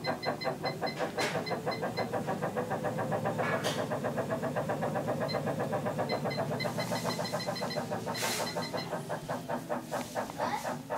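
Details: Smooth EVO 3CD treadmill making an abnormal noise: quiet, steady motor hum with regular ticking about two and a half times a second and occasional louder knocks; source unclear.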